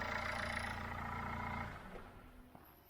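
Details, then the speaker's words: Dacia Logan diesel, Cat N Copart car, with fresh coolant: steady low even diesel clatter at idle, running really well; overheating test still to come. "she's running really really well so the next thing for this is i need to take it for a drive"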